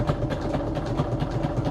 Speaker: You may hear it thumping because, yeah, when you sew through acetate, machine is not super thrilled of it about it, so it kind of makes some kind of thumping noises.